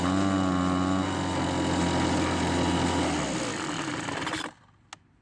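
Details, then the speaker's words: Homelite two-stroke leaf blower stored over winter with last year's gas in the tank, being warmed up: a flat, even drone that never climbs, then sags and quits. Bogs and won't rev; old fuel suspected. "the problem is it's been sitting in storage for several months and now when you try to use it it doesn't want to get up to speed"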